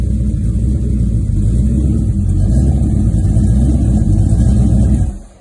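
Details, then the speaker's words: Rebuilt 1970 Pontiac GTO 400 (bored .030", KB pistons, ported #13 heads, Crower 60916 cam, Johnson lifters, 800 CFM Quadrajet, Ram Air manifolds, FlowMaster Super 44 mufflers) on run stand outdoors: lumpy even V8 rumble climbing smoothly then cutting off cleanly, no ticks or knocks; healthy V8 revving. "when we get there but it will be a nice running uh better than stock engine uh upgrade from the stock engine"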